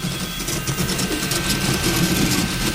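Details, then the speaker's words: Riki200 v3 pulley-style 3D printer, first print at 180 mm/s with 4000 mm/s² acceleration: NEMA17 stepper whines through fast moves, then a brief harsh buzz and clunk as it skips steps from being driven beyond its rated speed; print stops halfway. "Ah, did you hear that? Damn it. That was a skip."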